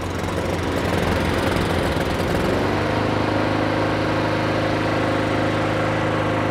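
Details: Neglected Honda Harmony II HRS216 mower after carburetor service and tune-up, first pull on choke: rough briefly, then settles into steady even drone; sounds slightly weak but runs healthy.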